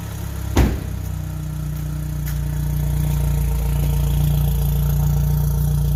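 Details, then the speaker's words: Gen1 Chevy Cruze 1.4T, tuned by Trifecta, after ZZP catless downpipe and mid pipe install on stock exhaust, warm start: quick crank catches into smooth idle, then even rev rise, turbo faintly audible, no knocks or rattles; normal start and rev. "can sort of hear the turbo in there a little bit. I'll bring you up front really quick. Yeah, everything's good."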